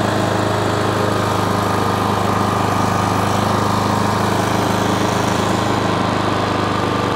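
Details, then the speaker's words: Self-propelled lawn mower after its drive cable was adjusted at the brass collar. The small single-cylinder engine runs steadily at a fast pulse with a slightly uneven beat, and the carb wants a bit of a tune; uneven running. "Carb wants a bit of a tune as well."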